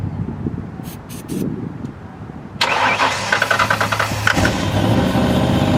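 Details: 1995 Ford Mustang 5.0 302 V8, 5-speed manual, first start in 15 years on ether: cranks, catches suddenly and stumbles with an uneven surging beat and light ticking, barely holding a rough idle while lifters pump up; cause unconfirmed.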